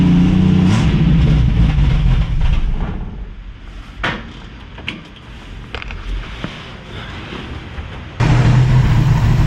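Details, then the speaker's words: 1965 Mustang inline six with Pertronix ignition, idling too fast with idle jet a quarter turn from bottomed: rough lumpy idle with stumbles, misfiring; oil found on spark plug 2 threads. "you guys have seen what I've done. It's idling rough. It's misfiring."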